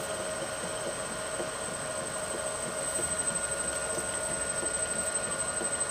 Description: Millport/Bridgeport mill motor with rusted, worn out bearings.